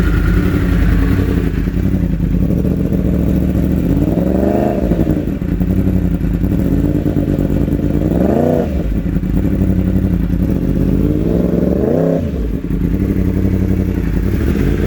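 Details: 2016 Yamaha R1 four-cylinder after swapping injectors between cylinders 4 and 1: it idles evenly and revs cleanly in four blips with no missing beats, and the misfire is gone.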